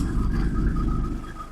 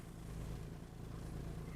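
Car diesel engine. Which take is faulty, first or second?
second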